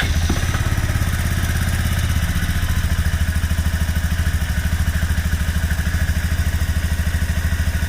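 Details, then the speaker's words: Kymco scooter whose fuel pump had been screaming, and which also shuts off randomly (new plug fitted): the engine thumps at a regular idle with no high whine over it. Pump noise gone after treatment, though fuel pump replacement is still advised. "Fire it up. Let's see if the pump is still making noise. Okay. It's not screaming no more."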